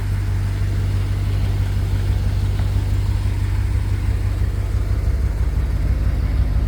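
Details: 1966 Chevrolet C10 after cleaning the dual tank, new fuel pump and hard line to the carburetor, carb not yet rebuilt: deep steady rumble near three pulses a second, no knocks or misses; runs healthy.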